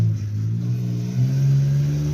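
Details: Ford truck with 300 six (4.9) with VW injectors, sat for years, now running and moving after three days of work, no clutch: deep, even engine note pulling up smoothly as it revs, no knocks or misses; running healthy.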